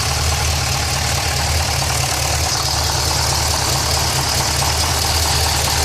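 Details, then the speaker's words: Pontiac GTO at idle: a quick, fairly steady knock at a bit over two per second, coming from the bottom of the engine toward the mid pipe; cause not identified. "This is the noise I was talking about. It's coming from the bottom part of the engine towards the mid pipe. The knock."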